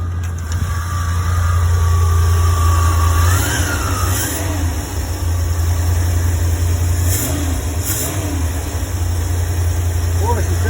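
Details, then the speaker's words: 1975 Ford E100 van V8 running after gravity-feeding fuel to the pump and priming the carburetor: deep, even burble at steady idle with a couple of light blips; fuel feed working, engine sounds healthy. "okay that was that was really nice to hear that run that's uh that little hose feeding down to the uh fuel pump is working great"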